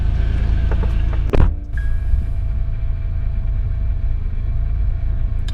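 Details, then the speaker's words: Acura TL idling, steady mid-pitched whine over the engine rumble, audible from inside the car; power steering pump whine from low fluid, with a passing airplane and a tire-pressure warning beep in the background. "Actually, I don't even need to pop the hood. You can hear the whine from inside the car."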